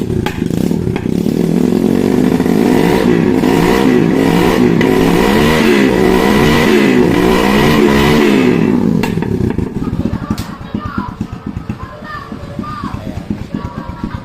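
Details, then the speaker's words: Skygo motorcycle that would not start due to a fully drained battery (5.8 V, was zero); engine revved after charging, pulls up smoothly and returns to a steady idle, charging voltage rising when revved; normal. "So sobrang lobat lang po pero umaangat na po yung charging niya pagka binibirit natin. So okay na po y'yun."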